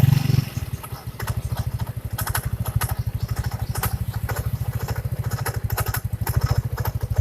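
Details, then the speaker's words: First-generation Yamaha Mio scooter, CVT area: fast steady engine beat with scattered scraping ticks starting seconds after startup; something at the front of the CVT cover, the kick-start shaft, rubbing the crank; noise gone with the cover off. "Pertama dihidupkan halo, tapi beberapa detik kemudian bunyinya kayak gini. Kita cari tahu sumber masalahnya ya. Sebenarnya sih kayaknya saya sudah prediksi di daerah depan sini ada yang bergesekan."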